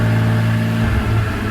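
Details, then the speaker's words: 2002 BMW E46 M3 drift car, almost 200,000 km, EML light on when hot: engine at mid revs stumbles briefly, note sags, misfire-like stutter, milder when cold; hesitation from faulty throttle position sensor. "But you can, I don't know if you can hear it on the video, but it's stuttering just a little bit now. It gets much worse than that. Almost like a misfire, but there's a good spot."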